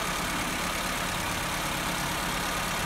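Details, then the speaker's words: Petrol engine with electronic idle valve and no fault codes idles steadily but too fast, because the idle valve adjustment screw loosened from vibration. "Fakat rolantisiz çok yüksek gördüğünüz gibi"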